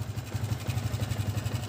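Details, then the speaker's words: Yamaha Vixion new model, owner complains engine runs rough, block recently rebuilt: single-cylinder idle with rough uneven pulse and faint metallic clatter; mechanic suspects loose cam chain, automatic tensioner converted to manual. "bisaar ini dugaan saya ada pada sentrik ya atau keteng biasa orang bilang dan ini pengencang otomatisnya otomatis tensionernya dibuat manual mungkin karena ada kerusakan sebelumnya"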